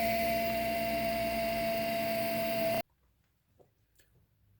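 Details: GeForce graphics card cooler fan running very loud, steady piercing whistle over the whir, cut off after about three seconds; dry bearing, to be fixed by removing, cleaning and lubricating the fan.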